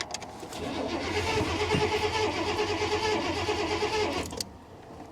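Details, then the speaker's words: 1985 Honda Prelude at salvage auction, sitting since about 6/21, booster pack almost dead: starter cranks at steady fairly slow beat about four seconds, no catch; crank no start, fuel smells rotten. "no I smelled the gas it smells smells rotten guys I don't know how long this thing's been sitting here"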